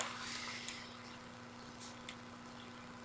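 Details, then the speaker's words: Noco G15000 jump starter/charger under repair (no power, no charge), connected to a battery and detecting it: faint steady low hum, no rattle or wobble; cooling fan kicked on and running normally. "You hear the fan is kicked on cuz it's detecting something."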